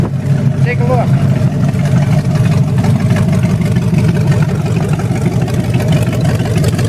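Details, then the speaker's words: 1928 Dodge with a 440 V8 after cam break-in, timing and carburetor set, fuel pump and overheating fixed, no metal in oil filter. Deep steady rumble with an even firing beat, no knocking or ticking; runs healthy. "other than that counts broken i love the way it runs and the sound"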